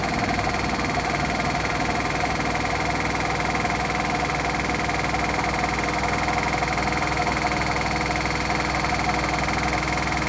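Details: Hotpoint washing machine on final spin: loud steady rumble with fast rhythmic knocking, about four per second, at full spin, pointing to worn drum bearings.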